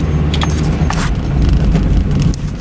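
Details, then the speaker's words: Mazda Miata with 66,900 miles, running cold: the idle pulses unevenly with light rattling, rough when cold. The cause is unconfirmed; earlier, warm starts stumbled for about 15 seconds before suddenly smoothing out. "Yeah, this thing is rough when it's nice and cold."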